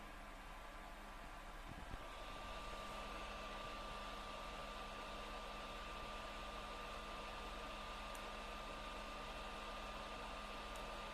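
Constant loud airy rush with a thin steady whine on top, unchanging throughout; console fan running noisily.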